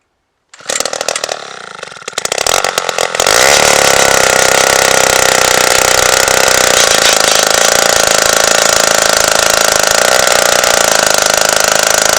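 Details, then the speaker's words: 1953 Zeiss ice auger revived after a spark fix: sputters and stumbles before catching into a steady high buzz; idles poorly and needs the throttle feathered, suspected carburetor tuning issue, though it still drills through ice estimated at over a foot thick. "it doesn't idle as good as i'd like it to you got to feather the throttle a little bit right now so it needs more adjusting"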